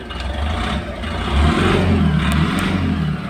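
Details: Tata Ace Gold BS6 diesel with a starting complaint, starting during the earthing check: engine catches right away and revs up and down cleanly with a steady firing beat; starts and runs normally, though a weak earth connection was then found.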